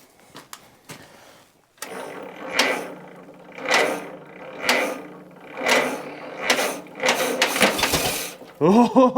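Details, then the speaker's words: 1943 Case SC tractor after years sitting, spark now on all four cylinders, in neutral, fuel on, needle and seat possibly not seating; slow rhythmic cranking with single pop, won't catch; no-start, cause unconfirmed. "did you hear that woo [Music] that's the closest we've come so far"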